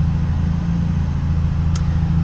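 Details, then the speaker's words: Peugeot 106 after fuel pump and instrument cluster replacement, original fan having just triggered: steady idle rumble with a soft airy rush as the extra radiator fan added for track use runs; normal. "Donc là je vais tester le deuxième ventilateur que j'ai mis en plus pour le circuit. Voilà, donc là on entend bien le deuxième ventilateur."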